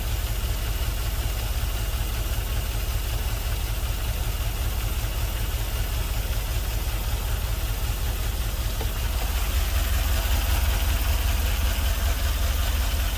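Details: LS-swapped GMC Vandura, first start after ECU flash: deep rumbling idle with a steady lumpy stumble in the exhaust beat, running on five cylinders; a couple of injectors not firing; misfire.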